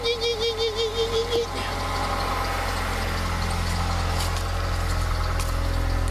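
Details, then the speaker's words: 2006 Ford Fusion at idle: high, pulsing squeak about six a second from the belt-driven accessories, then stops; owner suspects a dry idler pulley and hopes it's not the water pump. "The only thing is I hear something over here squinching, like a dry idler or something going up there. I hope it's not the water pump making noise."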